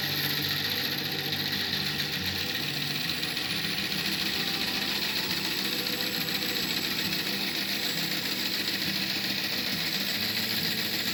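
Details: Antique wooden bandsaw bought at auction, on its first run after being plugged in. A loud, even mechanical whir with a busy rattly hiss, steady throughout; noisy old beast but working. Normal running.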